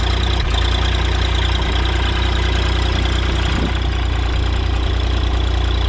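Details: New Holland LS140 diesel skid steer, cold start after two months unstarted, with glow plugs, battery and relay replaced within the last year: steady, even idle, firm low beat near 220 per minute, no misses.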